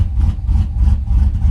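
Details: 2011 Chevy Silverado V8 after new cam install and head gasket repair, oil pressure good, some smoke: deep uneven loping idle pulsing about three times a second; big-cam V8 running as it should.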